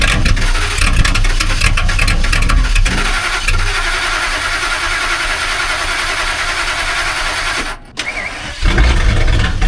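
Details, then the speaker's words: 1999–2004 Ford V10 gasoline cold start at 18°F: long crank, then rough stumbling catch before settling into a loud uneven idle; hard cold start, cause unknown. "That is a pissed-off V10. I don't know why that thing cold starts like a damn diesel with no glow plugs."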